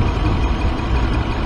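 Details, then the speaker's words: 2014 Dodge Ram with code P0207 idles low with a slightly uneven beat; one cylinder misfires because its injector gets a pulse but no 12 V feed. "Aquí hay otro pulso. Lo que no hay son 12 V. Eso es lo que no tiene el inyector."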